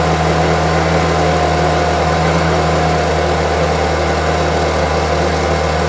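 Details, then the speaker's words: Homelite UT08572 string trimmer, small two-stroke, tested outside after repairs and a spark check: smooth, steady idle buzz with no hunting or stumbling. Earlier it would not idle down; owner will check whether an old "tink" noise is gone. Normal idle. "seems to be running really well. I'll review the footage to make sure that that old tink or whatever the noise was is gone."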